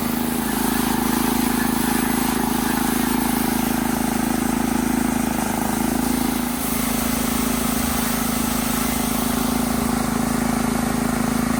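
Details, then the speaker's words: Honda GX160 on a Workman 2 cement mixer, about 10 minutes after starting, with water in the drum as a simulated load: a strong, steady drone with only a brief dip and no surging. Running normally. "well believe it or not this is like 10 minutes later and it still sounds pretty decent"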